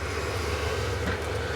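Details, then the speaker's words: Cheap Vevor diesel heater in a workshop shed (6 °C inside, door open), pump in full mode and ticking, output accelerating and throwing heat; steady low hum with even fan whoosh, no knocks or surging, running smoothly. "right so that is the pump now in the full mode the pump is still working I can hear that ticking over and now we're starting to get output starting to accelerate up again"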